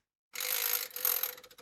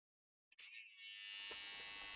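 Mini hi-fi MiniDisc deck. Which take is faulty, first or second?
second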